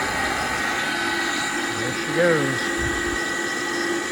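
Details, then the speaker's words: Gas furnace inducer motor running: loud steady humming drone with a rough edge and a brief pitch wobble at startup; it sounds terrible and needs replacing but was reinstalled temporarily to test the furnace. "sounds terrible definitely need to replace it but it'll probably work long enough for us to"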